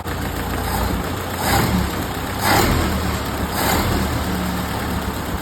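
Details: 1931 late Model A Ford coupe four-cylinder with a new Snyder 5.5 head, first run after a full engine teardown, carburetor mixture valve being adjusted by turns: low, lumpy idle with a gentle swell about once a second, settling steady; the mixture is now in the right range.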